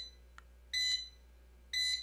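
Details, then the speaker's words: Modded Hiland-type bench DC power supply at first power-on after rewiring: two sharp beeps about a second apart. The panel meter's low-voltage alarm trips because its threshold was probably set near 13 V, so it needs resetting to 0 V low and 20 V high. "okay so it looks like we have a threshold that's uh being crossed I think we set the low voltage on the video that we did these meters that we set the low voltage of 13 volts or something like that"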